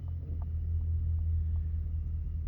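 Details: 2010 Ford F-150, 5.4 V8, about 173,000–175,000 miles, being checked after a cylinder 3 misfire (P0303). It revs with an even, steady low rumble and no stumble, and shows no check engine light. Normal, smooth revving.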